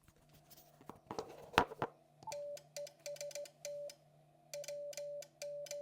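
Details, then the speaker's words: Hardrock 50 amplifier T/R relay before quieting, with a KX2 on fast QSK CW on 40 m and VOX delay set to zero: a sharp, loud mechanical click at the start and end of every keyed tone burst. "So, kind of loud there. We're going to take a look and see if we can get this quieted down a little bit."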